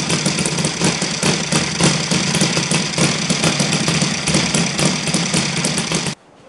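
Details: Saito FG 60 R3 spark-ignition four-stroke model engine at low idle with ignition timing moved later via the Hall sensor: rough, buzzy running with a harsh rattling shake before cutting off; excessive vibration suspected timing-related.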